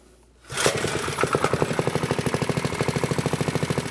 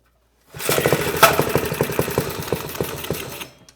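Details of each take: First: "Piglet" minibike, Briggs & Stratton single-cylinder after clutch prep, needing some choke, idle possibly set a bit high, bent sprocket: fires within half a second, then quick even putt-putt about three firings a second; running. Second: Rescued "Piglet" minibike with small Briggs & Stratton single-cylinder, low compression, just fired on a little choke: uneven burbling putter, irregular firing about three beats a second; cold, rough, rich running.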